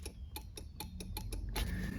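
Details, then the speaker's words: GM OBS Chevy/GMC truck after steering column and tilt bolt repair: sharp dry horn relay clicks, about seven in a second and a half, with no horn tone; the horns may not be working. "you can kind of hear I guess I've got a horn relay that well it sounds like it's clicking but the horns may be"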